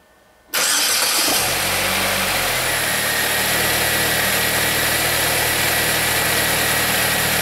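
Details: 2007 Saab 9-3 2.0T with an intermittent rough run, gas smell and injectors staying on (P1682, P0201–P0204), on a good key cycle: quick catch, then an even, steady idle with no stumble or misfire.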